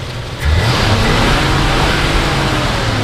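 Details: 1968 Ford Torino GT convertible 390 V8 Indy 500 pace car: deep V8 note climbs smoothly and holds a strong, even roar with no knocks or misfires, sounding healthy.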